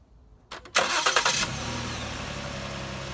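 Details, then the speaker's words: 2016 Ford Explorer 3.5L with 165,000 miles, after all original coils and spark plugs were replaced to fix a severe misfire that set no codes: brief cranking, then an instant catch and a steady, even idle with no miss. "that's smooth as butter running great now we're gonna go for a test drive here we go test drive and hit it hard not a single skip coils and plugs did the job you"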